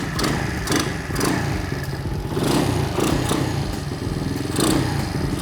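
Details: Restored 1978 Honda CT70 DAX minibike with 110cc engine kit, test ride: crisp single-cylinder beat rising and falling cleanly with throttle blips, no rattle or misfire; engine runs healthy.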